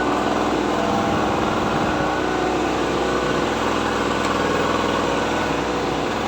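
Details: Daiden generator during setup testing, powering one then two electric fans: steady, even small-engine drone holds speed as the light load comes on, no knocking or surging; normal running.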